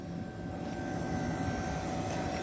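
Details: Springer 7,500 BTU window air conditioner after cleaning and replacement of broken, dried-out fan: steady hum and even fan rush, no rattles or knocks, running normally and cooling well.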